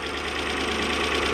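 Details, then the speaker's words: Toyota 1UZ-FE V8 in a Surf/4Runner after repair of a half-engine misfire: steady, even idle with a smooth unbroken beat, all cylinders firing; normal idle. "It sounds so much healthier now, doesn't it? All cylinders."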